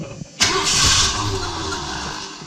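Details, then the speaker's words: 1978 Ford E150 Econoline van after replacing the starter: engine cranks briskly and evenly with no dragging but doesn't fire; cranking now much better. "much better that cranks over a lot better"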